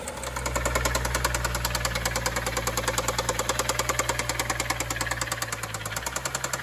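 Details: BMW N55 535xi: sharp regular knock, about three hits a second, over an idling petrol engine; knock started in stop-and-go highway traffic, car stalled and kept shutting off, knock grew louder; valve cover later removed, valvetrain looked intact: engine knock.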